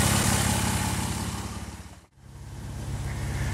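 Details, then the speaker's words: 2007 Jeep JK Unlimited on 37-inch tires with newly installed hydro assist steering, idling: steady even engine beat with no whine or squeal from the steering pump; normal. "but as you can hear there's no squealing no weird ass noises going"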